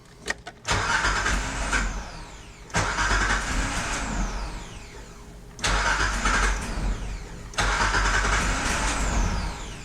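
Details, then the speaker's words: Nissan D21 Hardbody after replacing fuel lines: four crank-and-catch starts, each surging then sagging unevenly instead of settling to steady idle; a fuel leak at the fuel filter clamp was found afterwards and redone. "You know, I don't like the way this sounds. Just gonna shut this project down for the night, maybe, and take another look in the morning."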